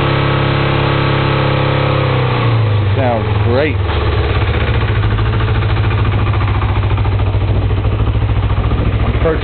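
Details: Kawasaki Ninja 250, 2007 engine swapped in after the 2002 engine blew up, first start on a warm day with partial choke: cranks a couple of seconds, catches with quick blips, settles into a steady, even idle; normal idle.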